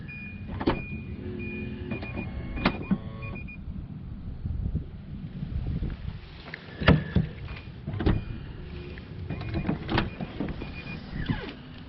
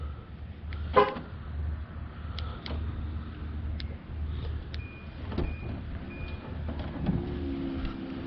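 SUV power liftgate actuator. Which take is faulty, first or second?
first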